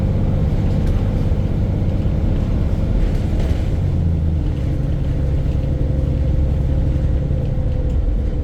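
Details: Arriva Yorkshire VDL bus 1518 (YJ61 OAD), exhaust blown the day before; heavy diesel rumble at steady speed with coarse regular knock through the low end, engine knocking, cause not yet known.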